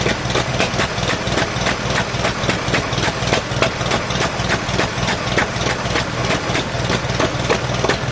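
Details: 1947 Farmall M tractor at idle during first start after rebuild, misfiring on only two cylinders: lumpy, uneven chuffing with dropped beats, popping from the carburetor, no power; plug wires later found reversed, slight miss at idle remained after correction.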